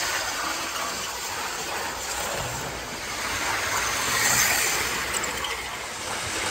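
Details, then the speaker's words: 1980s Hornby APT model train running laps after a ringfield motor upgrade kit replaced its worn armature; a light, even whir with steady rail hiss and no catches or surges. Normal, smooth running. "once you've got the new motor in it's running like a Little Dream you can see it tilting around the corner"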